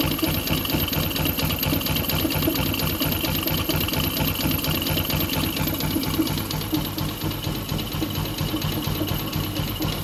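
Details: Yamaha Jupiter MX (non-clutch) with coolant leaking into the oil and a water pump seal due: rapid, uneven ticking at about two knocks a second over the idling single-cylinder; lower-engine knock.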